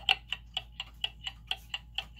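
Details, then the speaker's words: German time/strike clock movement, after adjusting the pendulum crutch: crisp ticks about four a second, evenly spaced tick and tock, movement now in beat. "so that's a good start right you hear how that's even"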